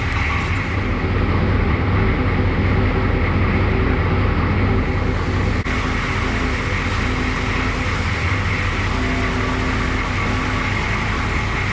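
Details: International S1654 diesel truck after an oil cooler rebuild, new starter and new radiator, warming up with the radiator cap loose to bleed air: deep, steady, even rumble with no knocks or misses; healthy idle.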